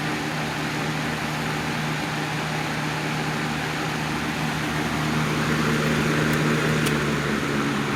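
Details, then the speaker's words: 1987 Patton CA-1284 12" rotary box fan after worn bearing sleeve repair: steady airy hum, motor tone shifting slightly on medium-to-low speed change, no rattle, scraping or vibration; running fine. "awesome no noise or no vibration at all no noise"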